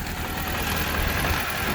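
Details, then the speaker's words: After repair: steady, even idle with a smooth low hum and no knocks, misses or squeals; sounds better, repair done. "Sounds better, yeah?"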